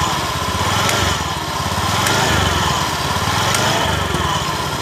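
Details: Honda Beat eSP scooter CVT: over a steady buzzing idle, a dull clunk every second or two as the clutch engages when pulling away, gone once moving; the source is the clutch bell and clutch shoes, whose linings are worn out.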